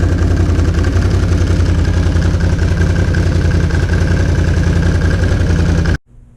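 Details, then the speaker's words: 2007 Can-Am Renegade 800 after new belt (slightly loose, self-tightens) and tan clutch springs installed: steady, even V-twin idle with a regular low beat, no slipping or belt squeal, then shuts off cleanly; normal idle. "New belt is on right now. It's kind of loose. It tightens itself up with rotational force, but it's good now. Let's see what it sounds like."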